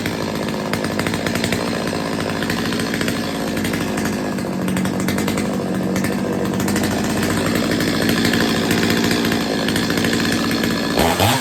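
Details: Stihl 025 two-stroke chainsaw after a carb tune-up and chain sharpening, test run with the bar and chain refitted and being oiled up: crisp revving and a steady high buzz, clean pickup with no bogging or misfire; normal running.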